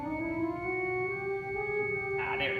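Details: Crumhorn (clarinet-like) reed stop on a pipe organ: a sustained reedy note whose pitch creeps slightly upward and sits off true; this out-of-tune reed pipe needs tuning.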